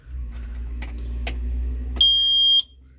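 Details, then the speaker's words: Maruti 800 with an aftermarket buzzer-type flasher unit installed by the fuse box, replacing the original unit that gave no sound. A steady, high half-second beep on ignition key-on over low engine hum, working as intended; it also sounds with the indicators and hazards. "நம்மளுக்கு இந்த pleasure யூனிட்ல இருந்து key on பண்ண உடனே buzzer sound கேட்கும் அதே மாதிரி நம்ம இண்டிகேட்டர் ஆன் பண்ணாலும் அசார்ட் லைட் ஆன் பண்ணாலும் இந்த பஸர் சவுண்டு நம்மளுக்கு டீபால்ட்டாவே கேட்கும்"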